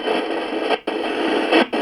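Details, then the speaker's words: Returned portable radio/CD player, AM fine but FM dead on every frequency: steady hissing FM static with two brief dropouts, sounding as if trying to tune but no station ever comes through. "if I go to FM which is this one here it doesn't matter where I go here listen it's making the right noises it's like it's trying to tune"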